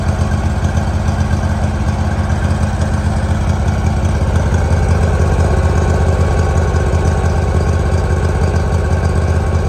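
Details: 2018 Hustler Raptor SD 54-inch mower, Kawasaki FR691V V-twin, after head gasket and valve seal replacement, shroud off, choke start. Warm engine idles with steady even low thrum, about three beats/s, no knocks or misses; spilled oil smoking off. Normal idle.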